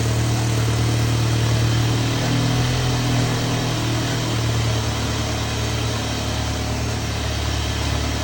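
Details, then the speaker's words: MK7 VW GTI 2.0T EA888.3 after a 529 Innovations oil cooler install, with the cooler and engine filled with oil; cranked with the high-pressure fuel pump unplugged to build oil pressure, giving a steady even churn that never catches, normal cranking. "Before I start it, I'm gonna crank it without the high pressure fuel pump attached. That way the car doesn't start, it'll just crank."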